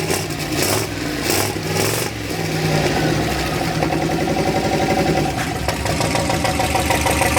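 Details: Rear-wheel-drive 1990 Ford Festiva with a turbo LS V8 that had seized, revved during a last-ditch burnout: rough V8 with a rapid hard knock that quickens with revs. Oil gauge reads nothing (owner suspects a clogged screen); damaged bearings suspected, not confirmed.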